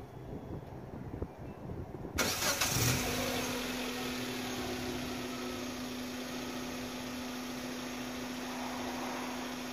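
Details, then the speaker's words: 2009 Kia Spectra5 remote-started after a Compustar G15 1-way kit install: quiet two seconds, a short crank, then it catches and settles into a steady, even idle hum with no misses. "You can see remote starts."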